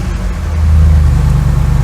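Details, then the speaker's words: 2003 Audi S6 C5 Avant V8, cold start after revival with fans kicking in and no dashboard warnings: deep, even rumble pulling up smoothly under a throttle blip, no knocks or rattles; healthy engine, sounds incredible. "so wow, what a sound. I don't know if this is coming across on the microphone, but this sounds incredible."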